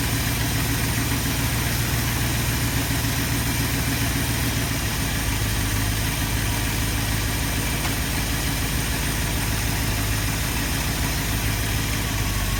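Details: 1972 Ford F250 with 360 V8 and four-barrel carburetor, after a Pertronix Flame Thrower II distributor, coil, cables and plugs install and idle mixture screw adjustment: even, steady idle burble with no misses, knocks or hunting; normal, smooth idle.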